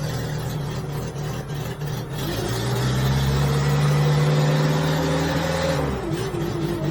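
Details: Genie S60 boom lift after a wire is jumped across the key switch to fix no-start from the ground: engine catches and settles into a steady, even run, revs up smoothly and eases back; no knocks or misses, healthy.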